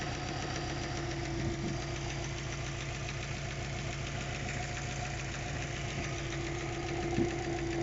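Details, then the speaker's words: Subaru Forester SF5 EJ205, warm idle before repair, with a dull, loosely regular knock from the pulley side that appeared after hard 0-150 km/h acceleration. Owner suspects the hydraulic timing belt tensioner; cause unconfirmed: engine knock at idle. "вчера появилась такая проблемка а точнее а звук мотора сейчас пойдём послушаем моё предположение что это гидронатяжитель ремня грм"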